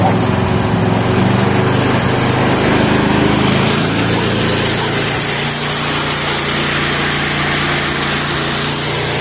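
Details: Bad Boy lawnmower engine after ignition coil replacement, choke off, full throttle: loud steady high-revving drone with no misses or surging; running healthy.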